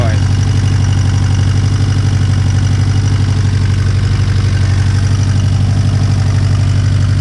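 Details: Turbo Honda S2000 with stock internals, just after an intake manifold install, steady warm idle: a light rattle ticking about four a second, source not pinned down; owner suspects the tensioner and plans to swap it, not confirmed.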